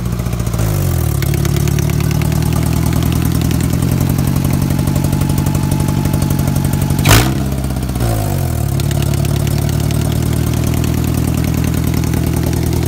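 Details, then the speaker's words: Engine at steady idle with persistent light tick, unchanged after a line was pulled and refitted; owner suspects rod knock, lifter tick or a broken valve, later a brake vacuum leak; exhaust nearly falling off; cause uncertain. "well it sounds like a lifter tick might have been it's 14 I mean still idling like [ __ ]"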